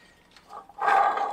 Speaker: But can you hear that? Now that's a really bad water pump. Good thing we're replacing it.